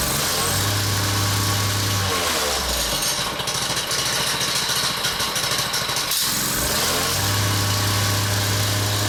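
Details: Honda engine on a whacker plate at tickover, set on a cushion, with a clogged air filter: a tinny tinkling rattle from the centrifugal clutch, which was loose on the shaft with a worn woodruff key.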